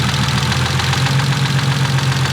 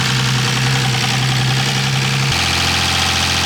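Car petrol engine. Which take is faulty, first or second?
second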